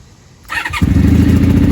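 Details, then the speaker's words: Honda Magna motorcycle, not started in a while, started on choke: catches after a short crank and settles into a steady, even idle with no misses, run to work gas through; normal start and idle. "Oh. Nope, she's good. This needs to run a little bit just to work some gas through her. Sounds good as always."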